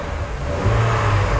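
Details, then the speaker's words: 2004 GMC Envoy after replacing the water-damaged ignition coil for a cylinder 1 misfire (P0301 code), one cylinder at a time checked: smooth even revving, no misfire on any cylinder, rpm good. "number three is good i don't see no misfire any drop misfire and rpm is good too"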